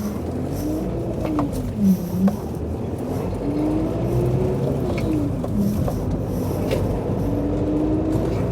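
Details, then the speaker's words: Rover 25 L-series diesel collected after storage, before a 90-mile drive home: rough idle with a wavering whine rising and falling above it, starting right after start-up. Owner said it would go away soon; cause unconfirmed. "he's already told me started with a funny noise so that's something to look forward to"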